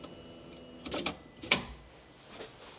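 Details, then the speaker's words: Nissan Micra with a swapped Audi/VW 1.8T 20V engine, after the fuse panel was rebuilt: key-on with the engine off. Relays click, the fuel pump primes and short whirring buzzes sound. The throttle body is running its normal self-test. "And you can hear the throttle body doing its self test thing that it does when it turns on."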